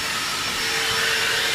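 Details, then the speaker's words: Infiniti G35X exhaust on the coldest day of the year, with air blown into the pipes: a steady rushing hiss with a faint whistle. Holes found in both exhausts right behind the catalytic converters; exhaust leak. "I found that on both of the exhausts right behind the cats there are two Don sized holes blowing air"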